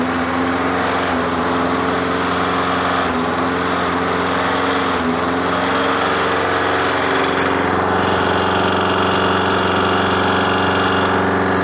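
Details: Free mower's small single-cylinder engine on first pull: keeps running but with an uneven beat and irregular stumbles; rough running. A messy spark plug was found afterward, cause not confirmed.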